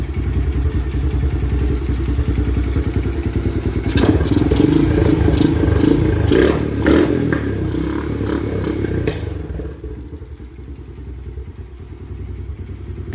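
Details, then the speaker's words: 2017 Honda TRX250X single at idle, needing a tune-up, fuel petcock position affecting running: light quick tap about twice a second over the firing; owner unsure if normal engine noise or piston slap. "there's a light tapping noise coming from the engine I don't know if this particular motor is noisy or if we have maybe some piston slap going on"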